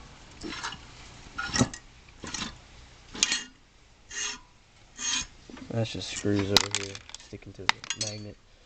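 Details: Kazuma Falcon 110 semi-automatic ATV engine, flywheel turned slowly by hand: rough dry scraping grind each turn; owner suspects balancer or bearings, not confirmed.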